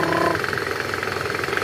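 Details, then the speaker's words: Toyota Camry 2AZ/2AR engine in reverse gear with throttle: rough, rapid knocking rattle from a worn, loose balancer shaft, gone once the balancer shaft was replaced without removing the engine. "Jadi, penyebab suara kasar tadi memang karena balancer yang longgar."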